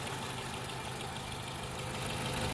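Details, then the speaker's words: Toyota Camry 2.5L 4-cylinder (2017) after water pump replacement: even, steady idle with no rattling or marble-like chatter from the front of the engine; normal idle. The old pump's bearing had rattled under belt tension. "Alright, it's all in. Quiet as a mouse."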